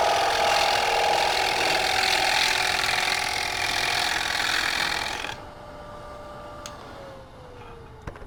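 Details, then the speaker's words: Woodturning a platter on a lathe: fast rattling chatter, about three per second, over the cutting noise until the tool lifts off; the cut is bouncing over a crack in the wood. "now I want to get a little bit cleaned up here you can hear the chattering from the crab so this might be a design"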